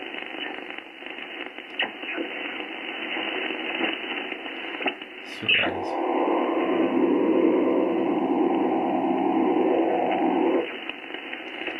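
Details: HF receiver in a shack with all earthing removed and disconnected, on 20 meters: steady hiss and buzzing crackle with a pulsing rasp; RF interference noise, source unknown.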